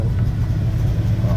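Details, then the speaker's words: 1991 Eagle Talon 1G DSM after a throttle body block-off plate fixed its cold-start idle surge, still warming up and idling slightly high: low steady rumble with a rhythmic puffing pulse; exhaust leaks at the center section and near the rear resonator. "exhaust leak in the back by the resonator as well as this is the main one right in that center section."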